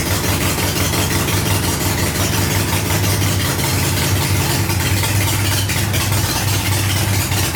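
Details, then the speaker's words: 1985 Harley-Davidson Ironhead Sportster, first run after ignition checks on coil primary and secondary: steady, slightly loping V-twin idle with even firing beat, no knocks or misses; running normally. "[Music] yeah he runs man that's a good feeling to hear that noise"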